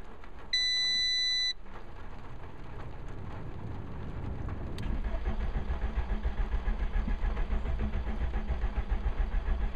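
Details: Seat Ibiza 1.6 Sport: a short chime, then steady fast starter cranking around three and a half beats a second that never catches; cranks but won't start, cause not confirmed.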